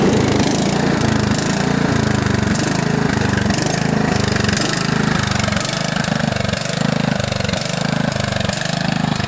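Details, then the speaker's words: John Deere STX38 riding mower with Kohler Command engine: loud, raw single-cylinder chuffing at a steady idle with a harsh open bark, because the muffler has come disconnected and needs repair or replacement. "the exhaust the muffler itself has uh come disconnected so it either needs to be repaired or replaced or or drive it really loud"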